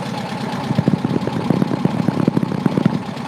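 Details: Air-cooled car on a cold start after sitting a couple of days: loose, lumpy idle with soft uneven pulses around a hundred a minute over a steady hum; it runs fine, though fuel is dripping from the fuel line.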